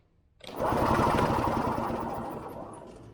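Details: Early-1980s Yamaha G1 two-stroke golf cart, barn find with a questionable fuel system and a new battery; ignition has power. The starter spins the engine with fast, even chugging for a few seconds, but it never fires: cranking, no start.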